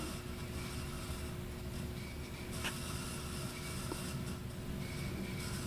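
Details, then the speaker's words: 1983 Casablanca Zephyr ceiling fan, converted to 3-speed, on medium: rough, rattling low rumble over a faint steady hum from worn, chattering motor bearings. "Listen to the bearings chatter."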